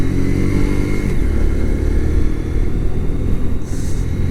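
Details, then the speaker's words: Kawasaki Z125 Pro rental motorcycle cruising on national road at 60 km/h, about 5,500 rpm; steady, even drone with smooth whirring "hyururu" undertone likened to a triple, nothing knocking or rattling: normal healthy engine at cruise. "かこのエンジンこう走ってるとヒュルルルルルルっていうような音がしますね。なんかトライアンフのストリートトリプルじゃないけど3気筒みたいな感じがしますが、そう感じるのは私だけでしょうか。"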